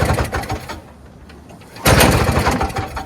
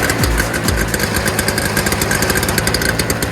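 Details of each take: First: Free early-2000s Toro Snow Commander 7HP R-Tek 24-inch single-stage two-stroke snowblower, long unused, starter removed for stripped Bendix gear, pull-started: catches briefly with uneven firing then dies; spark present, fuel not reaching engine, blocked tank supply. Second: Early-2000s Toro Snow Commander snowblower (7 hp R-Tek two-stroke, 24-inch single-stage) after a fuel system fix: fast, crackly, steady two-stroke buzz with even firing. It runs normally now that fuel flows, and the smoke has cleared.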